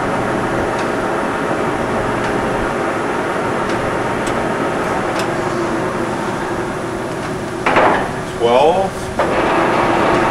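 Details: Reconditioned Blanchard 18-36 vertical spindle rotary surface grinder with a serviced table transmission gearbox, chuck stepping through 6, 9, 12, 18, 25 and 33 RPM: steady, even machine hum with no knocks or grinding; gearbox running healthy.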